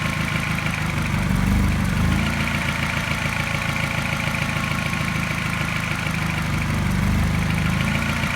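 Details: Mini N12 engine, part-warm (not fully cold or warm), fast idle: suddenly an uneven, lumpy idle with a mild tap in step with a regular slight misfire; cause not pinned down.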